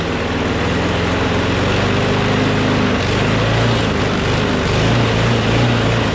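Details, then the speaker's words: Craftsman push mower with Briggs Quantum engine, after bail handle cable replacement, runs with a strong, even buzz at steady speed with no surging or misses; slight vibration, blade probably out of balance. "okay that sounds much better now alrighty ready ready so it vibrates a little bit which means the blade is probably a little bit out of whack"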